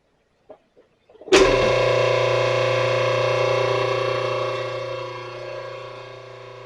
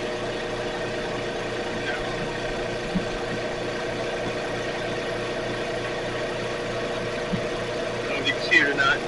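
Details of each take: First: Ottoman electric air compressor: motor spins up to a steady even hum with no pump chugging and no air being made. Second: Air compressor after repair, previously running without making air because a loosened back piece slipped: steady motor hum with even regular pulse, no knocking or grinding, building air smoothly; normal running.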